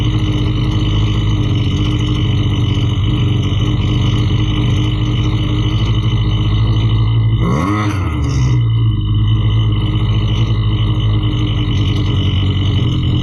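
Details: Husqvarna 329L string trimmer after repair for bogging and not staying running (not the carb): small two-stroke holds a steady low drone with one brief blip midway, no bogging or hunting; runs clean now.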